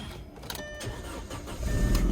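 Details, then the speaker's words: 2007 Audi A4 Quattro 2.0 turbo, auction car, first start: brief crank, then catches at once and settles into a steady low idle; clean, healthy start, though check engine light is on. "okay started right up check engine light is on"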